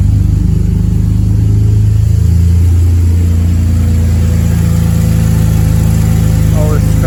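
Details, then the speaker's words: Custom exhaust with Mishimoto V-bands just fitted to an E46 Compact, first start-up: deep, even exhaust drone swelling briefly on throttle blips and dropping back smoothly, no knocks or rattles; not too loud but owner hoped quieter; normal engine revving. "It's not too loud. I was hoping that would be quieter, but let's see."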